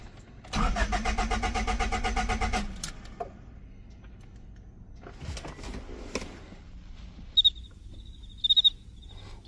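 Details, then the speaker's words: Cheap Honda Civic project on a hot day: about two seconds of quick, even cranking that never catches, with no fuel pump hum heard afterward. It cranks but won't start, and the car is left stranded. "Sure enough, I don't hear the pump."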